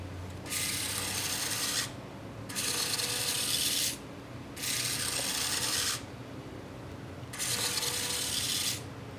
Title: Acer Aspire S5 Ultrabook - The Noisy Bay